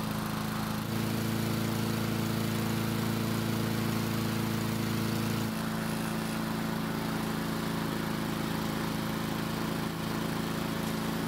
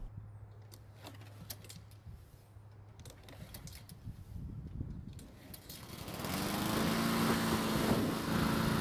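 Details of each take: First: Husqvarna walk-behind mower that would not start, now restarting after about 5 minutes of running, following blade replacement. Small single-cylinder engine holds a steady, even drone with no misses or surging; normal healthy running. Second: Husqvarna mower restarted hot after running about 5 minutes: rattly pulls, then it fires on the third pull and settles to a steady drone in wind. Hard hot starting; the cause is suspected, not confirmed.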